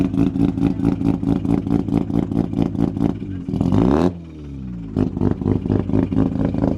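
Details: Mazda FD RX-7 with freshly bridgeported rotary, first start-up after flooding, fuel pump temporarily jumpered: choppy, lumpy idle picks up cleanly into a quick rev and settles back; healthy start.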